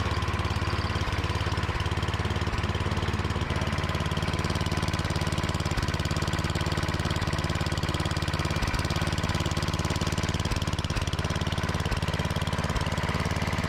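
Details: Craftsman MTD snowblower, Tecumseh engine, unused for two years; after cleaning the carburetor bowl with brake cleaner it fires at a steady fast rate, even note, no surging or stumbling; normal running.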